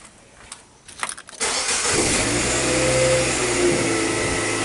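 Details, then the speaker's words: 2008 Nissan Sylphy G11 MR20 with P0135/P0141 O2 heater faults, fuse saver reset and not tripped: brief rapid cranking, then the engine catches cleanly into a steady, even idle with no misses; shaking the shorted harness trips it and prevents starting. "so right now the fuse is not popped car starts but if I shake the harness you see it like this but it trips and it's not allowing the vehicle to start"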